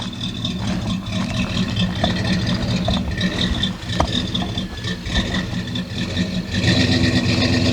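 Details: V8-swapped Dodge Dakota with eBay exhaust kit and Flowmaster muffler; deep loud burble rising and falling under throttle blips with a clean throaty exhaust note: healthy V8 revving.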